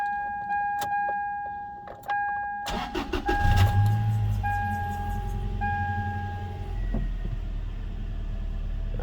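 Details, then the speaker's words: 2004 Toyota Tacoma SR5 2.7L, previously shaking with code P0304, after replacing the ignition coil: brief crank, quick catch, settles into a smooth even idle with no shake; hoses no longer shaking; normal start and idle. "este estaba tiemble tiemble el motor ya no ya no tiembla está suavecito suavecito"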